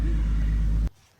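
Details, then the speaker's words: Infiniti Q60 after the fix for dying on start-up: smooth, even low idle rumble with no misses or ticks; sounds much better than before, healthy. "Hey, it sounds a lot better too. It does sound a lot better, doesn't it?"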